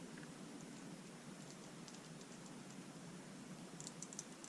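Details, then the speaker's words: MSR Whisperlite Universal stove being readied for an alcohol burn with a UK jet drilled out to 1/32: light, irregular metallic ticks as the stove is shaken, the shaker needle rattling freely inside the jet as it should to clean it. "you can hear that little rascal rattling around in there cleaning out the gin tighten it down some just a bit there we go"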